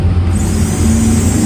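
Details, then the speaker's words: Maktec MT60 drill after fixing a rough, cracking gear noise by filing and adjusting the gear, without replacing bearings or armature gear: steady even motor hum and clean whine, no crackle; gears now smooth. "just use a file, our drilling machine will make it smooth again"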